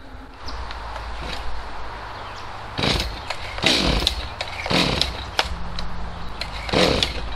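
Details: Stihl MS250C chainsaw after fitting a brand-new out-of-box carburetor, mixture screws unadjusted: steady two-stroke idle with clean throttle blips that rise and fall smoothly. Normal running.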